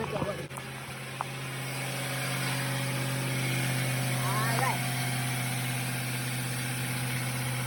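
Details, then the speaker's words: 1998 Ford F-150 with the 4.6 Triton V8 after fixing a no-crank, no-start by replacing the starter/ignition cylinder switch. An even, steady low idle with no misses or knocks, settling smoothly after start. Normal idle. "um pretty much and everything else we're gonna see this vehicle gonna start and run for us after we don't put it"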